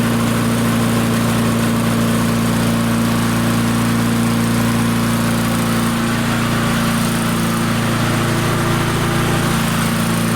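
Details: Barn-find Murray push mower, Briggs & Stratton engine, on the shop bench, air filter off, aiming for about 3400 RPM: steady high-speed constant drone, no hunting or stumbling; normal running, and the engine brake worked at shutoff.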